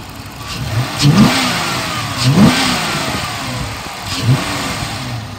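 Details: 2019 Dodge Charger police package, 5.7 L V8, automatic, 48,000 miles, about 6,136 engine hours, no check engine light: three clean throttle blips rising and falling smoothly to idle; healthy revving, no knocks or misses.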